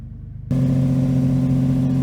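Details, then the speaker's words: 2002 Jeep Liberty 3.7L during a Seafoam test: erratic fast idle that came on sooner than usual (normally only after a few minutes of warm-up), then settled at a steady raised hum of about 1,500 rpm. The idle air control valve had been cleaned before with only temporary improvement. "well I've never had it to the erratic and fast idle so quickly normally it takes a few minutes to warm up and then go into fast idle"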